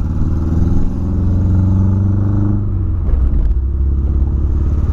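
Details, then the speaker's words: VW Polo misfiring after refuelling, revved by hand: revs rise rough and stuttering instead of a clean climb; owner suspects spark plug, coil or clogged injectors, cause not confirmed. "vou dar uma acelerada para vocês ver como que meu carro tá fazendo demais se liga rapaziada rapaziada se liga nisso mano como tá falhando e olha aí olha como tá falhando"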